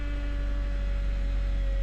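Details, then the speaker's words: 2008 Honda Accord 4-cylinder after long crank in cold weather, idling about 1500 rpm instead of about 800: steady fast even idle hum, no stumble; split dry-rotted intake duct admitting unmetered air. High idle from vacuum leak. "All right, it's running, but it's idling at about 1500 RPM. This thing should be probably closer to 8."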